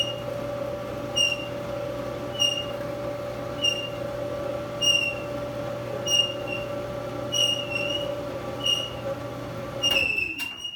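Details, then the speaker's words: Frigidaire dryer bought used with reported squeak, run on regular heat: steady motor hum with a high chirp about every 1.2 seconds, once per drum turn; worn rear drum bearing squeaking, bearing replacement planned. "From my experience, it's the bearing at the back of the unit. If a customer calls me and they says that I have a Frigidaire or a Frigidaire dryer and it makes this kind of noise, I will get the model number from them and check all the parts."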